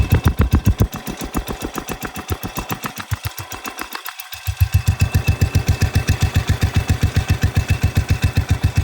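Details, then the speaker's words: Cub Cadet 105 lawn tractor, freshly oil-changed with a replaced carburetor, about a minute after a cold start: crisp, regular single-cylinder thump near 220 per minute, briefly softening then picking back up evenly; normal idle. "there you go that's the thing running just did a fresh oil change in it this thing runs amazing"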